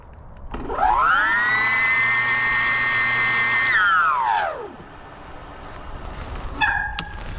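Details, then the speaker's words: BBS02 mid-drive e-bike motor on 72V with a Phaserunner V6 controller, running after a repair attempt: smooth, loud high whine that winds down with no scraping; the earlier rubbing appears fixed. "it's loud like it's a lot louder than the bbsh HD I don't have any field weakening turned on so I don't I don't know but I don't I don't hear the scraping you know so I think that problem is fixed"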